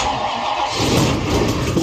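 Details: 1967 Buick Riviera 430 V8, first start after engine reinstall, distributor being rotated to set timing, vacuum advance disconnected: catches into uneven lumpy stumbling running; rough start, timing not yet right, vacuum leaks suspected, not confirmed.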